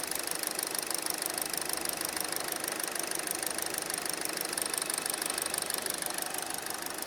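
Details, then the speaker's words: 2018 Hyundai Elantra 2.0L during repair of rough running, surging and codes P0017/P0301: steady, even idle with no stumbles or skipped beats; normal idle. "The engine is a lot smoother now. The engine is not shaking. We're good. This is fixed."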